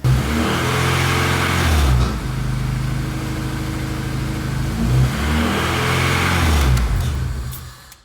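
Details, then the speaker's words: Honda Integra DC2 with a swapped K20A2 engine revs up and drops twice, with a dull rap under the revs. This is rod knock. "yep motors blow"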